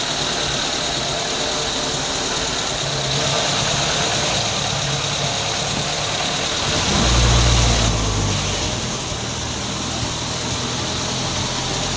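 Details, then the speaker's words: Ford Del Rey CHT at idle after timing chain cover parts refitted: steady idle with light rhythmic beat, former chain rattle gone, faint knock from lower engine remains; timing chain now quiet. "Ó, o barulho da corrente. Parece que parou, hein?"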